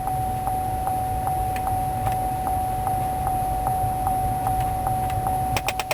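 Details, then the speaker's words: 2004 GMC Envoy SLT with automatic climate control: steady clicking behind the dash, about two or three a second, when pressing the mode button; faulty mode door actuator, air stuck on defrost; fixed by replacing the actuator and recalibrating the HVAC. "there it goes that's one of the actuators that clicking noise of the Surefire sign that an actuator has gone bad in the HVAC system"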